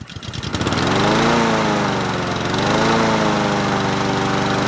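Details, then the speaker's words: Husqvarna 7021P 21-inch push mower with a Honda GCV160 engine and auto choke, unused about two years, repaired with its original OEM carburetor. It fires on the first pull and settles into a steady, even single-cylinder drone. Normal running. "She sounds good. It's original OEM carburetor, baby."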